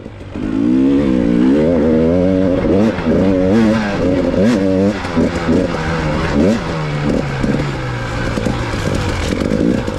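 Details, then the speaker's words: KTM dirt bike on a test ride after a fuel-pump blink code traced to a bad battery ground: crisp revs rising and falling with throttle, clean pickup, no misses or knocks; rider half-suspects boginess but it runs healthy. "maybe i'm just hearing things now because i'm still a little bit paranoid the bike's going to let me down but it seems to be running great"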